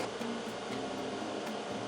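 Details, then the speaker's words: Growatt Infinity 1500 power station charging from 800 W of solar input. Quiet, steady airy cooling-fan whir with soft hum, about 52–53 dB, quieter than when discharging; normal. "So about 52, 53 decibels, much quieter charging than discharging, and this is typical for most power stations."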